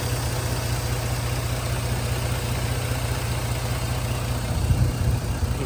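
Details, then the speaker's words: 2009 Jeep Grand Cherokee after dealer repair of low oil pressure (new coil reportedly fitted), some smoke possibly oily residue burning off: low, quiet idle with an even soft pulse, no knocks or ticks; sounds healthy. "it sounds good it sounds quiet I don't know what the smoke is maybe just some oily residue burning off or something"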